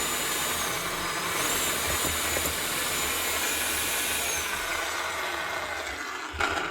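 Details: Makita HR5211C rotary hammer, over 10 years old, runs but won't hammer: motor spins up to a smooth light free whir with no hammer blows; broken connecting rod, piston not moving.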